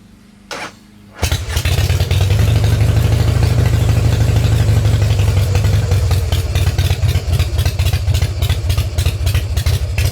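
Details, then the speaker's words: 1990 Harley Fatboy V-twin with new S&S Super E carb, drag pipes, in neutral with enrichment knob up; fires right up into loud, lumpy idle, running a little rich, idle needs adjusting; starter suspected weak; normal start. "It is kind of ridiculously loud. But yeah, it's running. A little rich."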